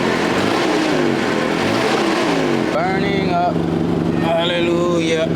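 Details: Caterpillar forklift with K25 engine after head gasket replacement for repeated overheating; steady, even engine drone at constant speed with no ticking, knocking or misfire, temperature holding just below half while warming up; running healthy.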